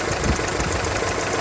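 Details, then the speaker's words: Mk4 VW Golf, cold, after its misfire and heat-shield rattle were fixed: steady, even idle with a light fast tick from the charcoal-filter purge valve working while cold; the engine is otherwise fine. "that is the sound of the engine it's got the charcoal filter going at the minute because it's cold that's what it's happening"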